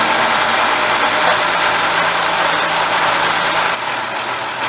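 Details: 2006-2009 Mercury Milan 3.0L V6 after new spark plugs: engine catches and settles into a steady, even idle with no misfire, stumble or ticking; runs smooth and healthy.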